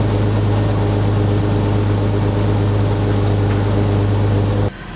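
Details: 2004 Jeep Grand Cherokee Columbia Edition, trail-rated 4x4, started on a jumper box due to dead battery: steady even low hum with constant deep tone, no knocks or misses; normal idle.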